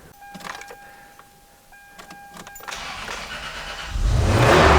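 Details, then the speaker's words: 1999 Toyota Tacoma after replacing the failed cylinder 5 fuel injector (P0305, misfire): chime and key, cranks, fires promptly and settles into a smooth, steady low idle; misfire fixed, starts and runs healthy. "Oh, wow. Fires right up and it idles completely smooth. Absolutely perfect."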